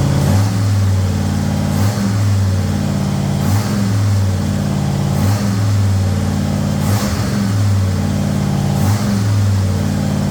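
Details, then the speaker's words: Ford Thunderbird Town Landau after 460 V8 swap with custom motor mounts and C6 transmission, running with good oil pressure: deep even exhaust rumble with soft rhythmic pulses, no knocks or ticks. "Well, we got good oil pressure. Thing seems to be good. Hear any weird noises?"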